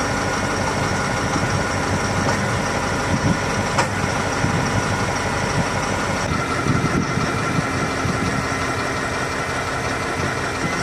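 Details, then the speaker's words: KamAZ 2022 crane truck diesel idling with occasional heavier knocks over the clatter and no fault codes stored; erratic rail pressure from a loose fuel pressure sensor connector that doesn't latch, after injectors were swapped. "ошибки нету у нас Но при этом суук идёт"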